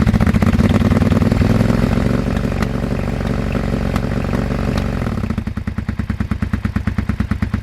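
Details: Abandoned 2001 Suzuki SV650S V-twin, project bike just revived: lumpy uneven idle with loose clatter, then settles into slower separate chuffs; runs but still needs work, cause not identified.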